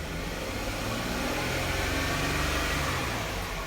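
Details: 2012 Jeep Wrangler 3.6 Pentastar V6: it revs with an uneven, stumbling pulse from a P0303 cylinder 3 misfire. The cylinder 3 ignition coil connector was found broken and repaired first.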